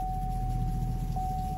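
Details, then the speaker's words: Diesel 3.0L Duramax GMC Sierra at 50K miles idling after a repair, following a slightly prolonged start: a smooth, low, even rumble with a faint steady high tone; sounds normal. "but sounds good so I think we're in business"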